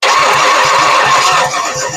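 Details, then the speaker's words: Ford 460 V8 sitting about 30–40 years, distributor hooked up: starter spins it in quick even beats, about six a second, never fires; no spark found, rodents had chewed wires. "Got nothing. Man, let me double check. Make sure connections. >> Yeah. >> Well, our little furry friends have chewed wires up."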